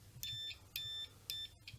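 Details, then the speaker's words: Multimeter switched to continuity mode while checking parts and grounds for an LM386 pedal build: short high-pitched beeps, about three clean tones in two seconds in a quiet room, a healthy continuity tester. "Anyway, here we have my multimeter, and here you can see all the little things. and we put it to continuity mode, and we get a little"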